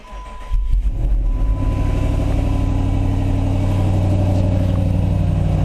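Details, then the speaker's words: Jeep SRT8 Grand Cherokee with x-pipe, cold start right after a new Magnaflow muffler install; a deep, steady V8 burble at fast cold idle, even and smooth with no exhaust ticks, rattles or leaks. It sounds excellent. "all right that sounds good sounds excellent"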